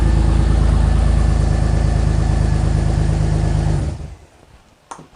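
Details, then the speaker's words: BMW X3 E83 M54 after head gasket replacement, first run on reassembly: a loud, raw, rapid puffing rasp at idle from untightened exhaust manifold-to-pipe bolts; the bolts were then tightened. "So you want to know why it was so loud just now? I forgot to tighten the exhaust manifold bolts."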